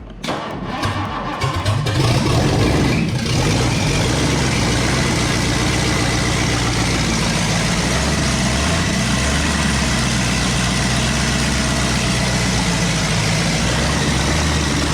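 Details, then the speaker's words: 1962 Mercury engine catches after a few seconds of cranking once it starts sucking fuel, then settles into a steady, even idle likened to a big sewing machine; a normal start and healthy idle. "Oh, there, look. It's going now. So it sounds like a big sewing machine."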